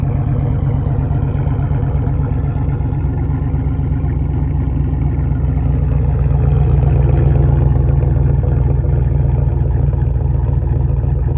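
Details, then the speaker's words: 2006 Monte Carlo SS V8, 129,000 miles, redone heads and Summit Racing aftermarket cam, cold start: deep idle with uneven loping beat settling as it warms; normal cam lope, check engine light from cam. "The cam until it finally dies down. Usually when it gets a temperature you can start to hear it. Yeah, you can hear it a little bit."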